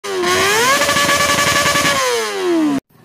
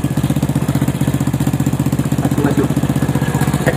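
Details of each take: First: Honda Supra motorcycle engine blipping and dropping back with a light metallic chatter on top of the note; valves checked and ruled out, noise traced to cam chain rattle. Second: Honda Supra motorcycle after replacing the worn cam chain and loose chain guide, tensioner reused, valve clearance 0.05 mm; even, steady idle thump about four beats a second with no ticking or rattle, noise gone.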